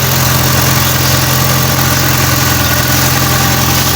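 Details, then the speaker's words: Honda Civic 8th gen with a swapped engine, idling cold after the no-start was fixed by reinstalling the missing ground bolts, not the computer. A smooth, steady idle with an even hum and no misfire, ticking or hunting. A little smoky; the owner thinks a tune-up or oil change may be needed. "car is a little Smokey I don't know from the whole swap thing for when I got changed maybe it needs a [ __ ] a tune up oil change who knows at this point I'm just hype and happy the car on $450"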